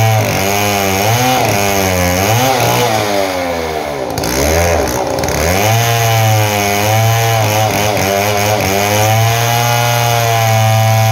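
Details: Model 070 two-stroke chainsaw, repaired after lacking power and backfiring: loud howl dips under load in the cut and revs cleanly back up, no popping or bogging; pulls strongly.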